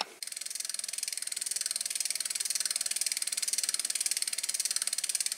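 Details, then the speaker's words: Freewheel on another bike, for comparison with a Shimano hub just overhauled with a short ball-bearing count, whose regreased pawls now run quieter but lock up: crisp, even ticking about ten clicks a second as the wheel coasts; normal freewheel clicking. "there it is clicking so some of the grease got on the paws there and but it is locking up that's the most important thing it's locking up"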